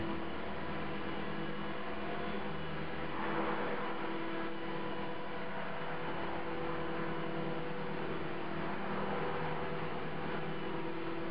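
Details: CopterX RC helicopter after a crash: steady low buzz with a fixed hum and no real rhythm, blades out of track; owner suspects bent blades, fears a bent blade holder or feathering shaft.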